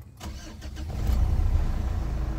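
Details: 2011 Mitsubishi Strada Triton Exceed automatic 4x4, 4D56 diesel, started in Park: short crank, catches at once and settles into smooth, even, low diesel idle, all warning lights go out; normal healthy cold start.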